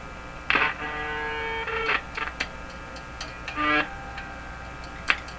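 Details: Hallicrafters TW2000 World Wide radio during IF alignment: each light tap on a tube on top, possibly a 1U4 or 3V4, sets off a clear ringing tone that dies away after a second. Microphonic tube.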